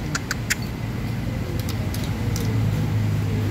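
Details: Ford Ranger engine at idle: low rumble with sharp, uneven metallic clicks, diagnosed as piston pin knocking, loudest at cylinders four and five.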